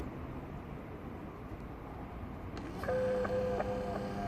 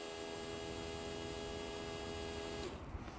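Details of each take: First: 2005 Land Rover Freelander TD4 in limp mode with code P1260: in-tank fuel pumps compared by amp draw, old weak pump then new pump, which runs with a completely different sound; steady low hum with faint whine; weak old pump blamed, filter also replaced. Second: 2005 Land Rover Freelander TD4 diesel in limp mode with code P1260: a brand-new replacement fuel pump runs with a steady, even electric hum and clean whine, sounding completely different from the old pump, which was judged to be the fault.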